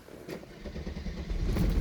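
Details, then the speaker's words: Mercedes-Benz W124 300CE-24 with 203,000 km, dead cold morning start with cold exhaust and radiator: deep, low engine note catches and settles into steady running with no knocks or misses, oil pressure high; normal cold start. "there you go code start it's running from a dead cold like you know oil is pumping through the system"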